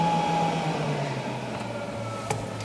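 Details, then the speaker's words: LS-swapped S10, engine fan disconnected, key on: blower motor set at low, steady whirring hum stepping down in pitch as speed knob turns, air heard through vents; blower runs smoothly at each setting. "You can hear the fan. And doing that seems to shut the air off."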